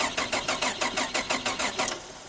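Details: VR Commodore manual: starter cranks at about six even beats a second for two seconds after checking the battery, but the engine never fires; crank, no start.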